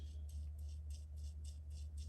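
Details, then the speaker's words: Cheap stock replacement lower steering column bearing spun by hand: faint gritty rasps pulsing about three to four times a second, rough rotation compared with the smooth new cartridge bearing. "can probably even hear that rotating it's just a much much cheaper style bearing"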